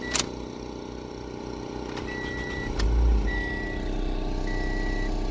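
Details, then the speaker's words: 2014 Toyota Corolla after fixing a broken intake manifold air leak that caused misfire codes P0300-series: petrol engine now idles smooth and steady, no misfire. "आप देख सकते हैं बिल्कुल बराबर हो गई है"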